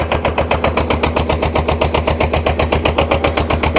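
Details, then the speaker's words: Kubota L210 21 hp diesel tractor on a cold start after glow plug warm-up: uneven idle of about four lumpy pulses a second, with smoke. One cold, low-compression cylinder is not firing yet; the smoke should stop once it catches. "uh once that other cylinder kicks in it won't smoke anymore"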